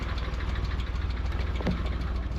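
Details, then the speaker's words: Nissan R34 Skyline after 10 years parked, intake just reconnected: rough lumpy idle with a light fast ticking over the low rumble, sticky lifters after storage, plus a bad misfire; lifter tick. "Let the lifters run for a little bit longer so we can get rid of that lifter tick."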